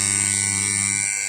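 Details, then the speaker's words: Washing machine wash motor newly wired to the timer, motor turning in both directions, on a test connection: steady high, piercing buzz holding even throughout; the timer buzzer sounding as it should. "ये buzzer का आवाज़ आ रही है, ये हमारा buzzer है, ये buzzer बज गई है,"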